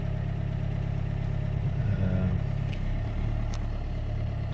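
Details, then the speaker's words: Car starting straight away after reconditioning its failing battery (now resting at 13.1 V; alternator tested at 14 V): smooth, even low rumble settling into a steady idle with no misses; normal idle. "the moment of truth let's start it and yes started straight away"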